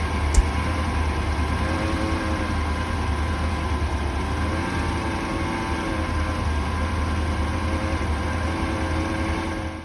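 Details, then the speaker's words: 1983 Porsche 928S V8 with original Bosch ignition, idling after ignition timing set and vacuum tube replaced: steady, slightly uneven lumpy idle drone; still running rough, cause not yet found. "The engine is running rough, but I'm going to have to do some more poking around and seeing what else I could improve."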